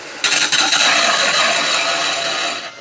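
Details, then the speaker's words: EcoWater ETF AIIF9-115 Birm iron filter, restarted after birm and gravel replacement, with a manual recharge just started. Loud, steady rushing hiss as trapped air blows out of the line; normal air purge during regeneration. "And there it starts. And you can hear all the air coming out of the line."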